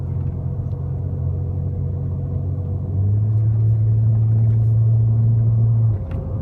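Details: 1999 Lexus ES300 engine running: a steady tonal whine rides over the low engine rumble, growing louder and firmer for a few seconds, then dropping back; source unclear.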